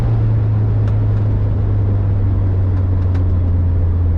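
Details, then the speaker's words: VW Vanagon with Honda K24A4 engine conversion (redline about 6,800 RPM), second gear at about 4,000 RPM uphill through curves: strong steady drone at constant pitch, smooth with no misses or knocks; healthy engine at high RPM. "now this Engine with the K24 A4 that I have it red lines right at about 6800"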